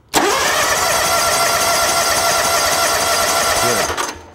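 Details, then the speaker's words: Lawn tractor/mower starter cranking with ignition disabled during a voltage-drop test, battery positive cable to starter reading about 0.07 V: steady even whirr for about four seconds, no dragging or clicking; normal cranking, system in good shape. "Make sure you disable ignition, and then you want to crank it over because you want the amps and the voltage to run through it."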